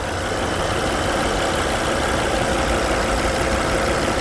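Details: Volvo C30 petrol engine after repair of a whistling noise: idle with a steady, even hum and no whistling remaining.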